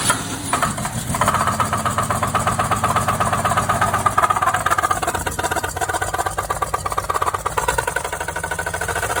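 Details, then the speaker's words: 1969 Chevy 250 inline-six idling after a head rebuild (seals and one bad valve replaced, compression 135-140 on all cylinders, valves believed adjusted). A steady fast clacking follows engine speed; the owner doesn't think it's a misfire, and the cause is unclear. "hey guys need some help with that noise this is a 1969 Chevy 250. I just did a head rebuild replace the seals found a bad valve it doesn't sound like a misfire to me huh anybody got any clue"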